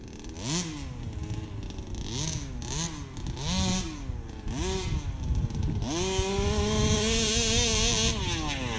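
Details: Brand-new Rofun Power 32cc two-stroke in a Baja 5B RC car, outdoor run: quick throttle blips rise and fall cleanly, then a steady high buzzing rev holds without misses; healthy.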